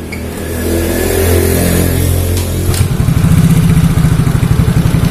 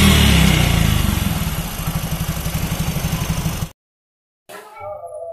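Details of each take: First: Yamaha Mio Soul GT scooter idles unevenly with a lumpy, stumbling beat, sluggish power and hard-to-hold idle, caused by a leaking, cracked ISC sensor air hose. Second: Yamaha Mio Soul GT scooter after replacing broken injector seal; it and a cracked ISC sensor air hose caused weak power, poor idle and stalling: revs and settles into a steady, even beat with no misfire, music behind; normal.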